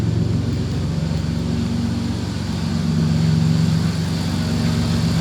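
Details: Chrysler Grand Voyager minivan idling after reassembly (control arm, brakes, front relays and wiring removed), no check engine light, low on fuel; steady even idle with smooth low hum, no misses or knocks, running healthy.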